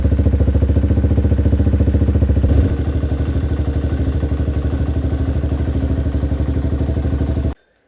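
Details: Hawk 250 single-cylinder dirt bike after new battery replaced a dead one (3.7 volts): quick, even single-cylinder thump settling slightly lower after a couple of seconds, then clean shutoff; running normally.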